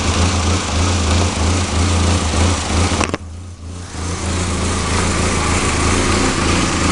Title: ka24de 1991 240sx rough idle